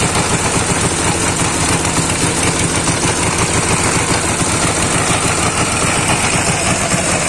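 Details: Dnepr 10-36 air-cooled twin after replacing worn connecting rod bearing shells and rod: busy, even rattle at fast idle with no separate heavy knock; now runs healthy.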